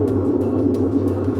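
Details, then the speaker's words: Whirlpool WTW5840BW0 top-load washer with F7/E1 error, will not start cycle; after reset, basket spun by hand with lid open gives a steady gritty grinding rumble with low hum: bad gear case bearings, gear case W10735106 needs replacing. "you can hear the bearings are bad in the gearcase on this model as well or on this unit as well it should be nice and quiet when it spins and even just me manually spending it you can hear those bearings grinding"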